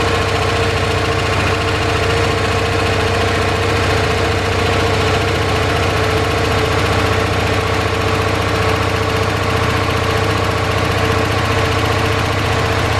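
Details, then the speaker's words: 1978 Dodge D150 V8 after fixing top-end lifter tick following cam and head swap (new lifters): even, steady idle, valvetrain clatter gone, only a faint light tick believed from the exhaust; normal idle. "Well, doesn't that sound a lot better, eh? I had a tiny little ticky from the exhaust, I believe. But boy, it sounds a heck of a lot nicer."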